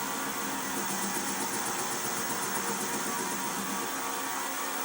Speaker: So this is a very uneven surface, so it's going to be what's called an interrupted cut, because only certain parts of the metal as it's coming around is going to make contact with the tool until I get it all faced off and flat.